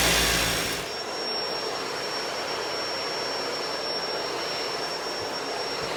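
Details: Shark Duo Clean vacuum after fixing a stuck brush roller (red brush-roll light) by clearing and reseating it: motor spins up quickly to even rushing airflow with steady high whine, no grinding or knocking; running normally.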